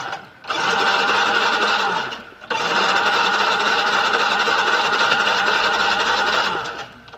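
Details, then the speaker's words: Yamaha Mio Soul GT fuel-injected scooter that won't start, cranked with injector still connected to check spray; starter whirs in steady bursts of a couple of seconds, engine spins but never catches; crank no-start. "Terus kita coba kunci kontak on. Kita kunci kontak on. Ya. Coba kita starter."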